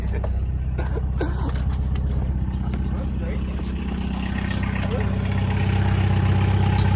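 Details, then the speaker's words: MK1 VW Rabbit: a steady rhythmic scuff about four times a second tracking road speed; the rear tire rubs the body because the rear beam is pulled over. "Oh, it's it's like it's it's rubbing on the back. Like the It's not like it's not slammed. It's just like the rear beam is so pulled over. It's like it's hitting the back."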